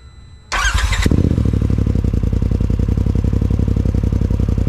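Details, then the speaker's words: 2020 Polaris RZR Pro XP after Aftermarket Assassins Stage 3 clutch install, three spacer washers removed from the secondary: short crank, then even, steady idle pulse with no clutch chatter or grinding; secondary barely spins, sounds healthy. "all right that looked pretty good barely had any spin"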